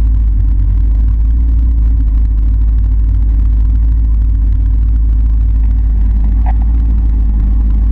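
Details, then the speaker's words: Camaro at idle after losing power under wide-open throttle and dying when coasting, slow cranking; deep rumble with rough busy chatter, owner rechecking oil; bottom-end trouble suspected, not confirmed. "well I was getting ready to go and now I hear chatter so I'm going to turn it back off and check the oil again that don't sound good"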